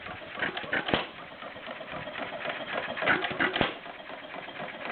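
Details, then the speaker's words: Stover CT-2 hit-and-miss engine, 2–2.5 hp, slightly warm from running a couple hours earlier: sharp single pops with uneven gaps as it catches and coasts, taking two intake gulps before firing; starts easily and runs normally. "starts pretty easy see it's taking two uh in intake gulps before it fires"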